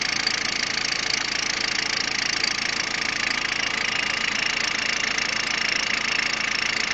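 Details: Peugeot 106 1.5 diesel (11/2002), 130,000 km, timing belt done at 73,000 km; fast, even ticking clatter, roughly three to four per second, over the idle; abnormal idle noise, cause unclear.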